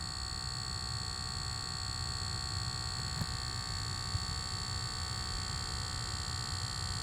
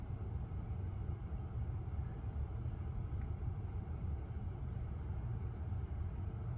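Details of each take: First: Lucid electric car: steady high-pitched electrical buzz with a faint hum underneath, constant throughout. It persisted after switching profiles and a first reset, and later stopped after a logo reset; source unidentified. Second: Lucid electric car driving after a logo reset cleared a buzzing noise that profile switching and an earlier reset had not. Only smooth, quiet tyre and road rumble with no buzz or whine; normal, cause unknown.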